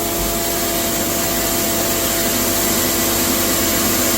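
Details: Cattle-feed grinder (hammer mill) set up in the milk house, blower running with the bottom outlet wide open: steady, even roar of mill and blower, no knocks or surging. Normal running.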